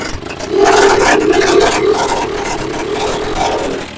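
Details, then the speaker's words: TVS Apache 4V engine before rebuild, with seized piston, broken rockers, worn valves, cam, crank and timing chain: harsh rattling clatter and scraping at roughly three to four knocks a second over a strained engine note. "कुछ इस तरीके से जो है इसमें आवाज आ रही थी पहले इतनी बुरी तरीके से आवाज आ रही थी तो सोच सकते थे इंजन के अंदर कितना सामान डला होगा"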